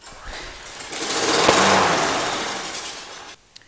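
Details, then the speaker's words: Walk-behind lawnmower that won't start, spark and tank fuel confirmed: with gas squirted into the intake it catches, revs raggedly for about two seconds, then cuts out abruptly, so the carburetor is dirty and needs cleaning. "Okay, as you just saw, it ran for a few seconds and then died, right? So what that is it's a dirty carburetor, and it needs to be cleaned."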